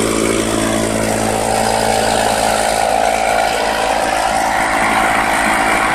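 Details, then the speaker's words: Restored 1991 Lawn Boy L21ZPN two-stroke mower after repaint and muffler replacement: steady, even buzz at constant pitch with no misses or knocks; runs clean and healthy. "So yeah, that's pretty much it. I'm going to start it up and let you hear it run."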